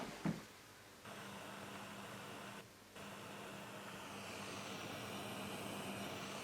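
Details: Ilet 102-1 tape recorder, power amplifier left channel feeding a speaker with no signal: steady hiss with a faint low hum; noisy channel, cause suspected in a later or output stage, not confirmed.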